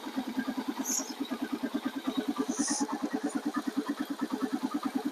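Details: Yamaha TW200 single that had sat for a while, idling just after its first restart with fresh fuel, a new fuel line and a charged battery: an even, steady thump of about eight beats a second with no misfires. Smooth, healthy idle.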